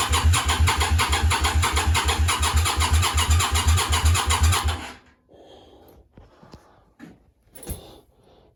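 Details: Yamaha Virago 535 project bike with a newly fitted starter, cranked on jump leads from a car: steady starter churn for about five seconds that never fires. No spark was found, and fuel smell and fuel came from the rear cylinder exhaust. Cranks, no start, cause unconfirmed.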